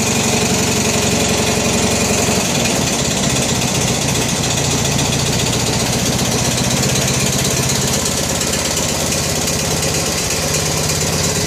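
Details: Original 16 hp Briggs opposed twin on a Turf Master lawn tractor imported in the 1980s, no repairs since new, right after a cold choke start at about 23–24°C, out of gear: a loud, rapid, steady putter at even speed with no misses; healthy running.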